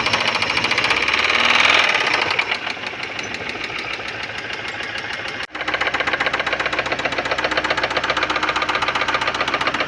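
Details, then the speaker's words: Fiat Siena with the oil warning light staying on and a loss of power: sharp, regular metallic knocking about four times a second from the front of the idling engine; bearing knock from low oil pressure. "Então, alguma coisa tem de errado aí com o motor, ó, tá ligado, né? Só que tá batendo lá na frente [Aplausos] bastante."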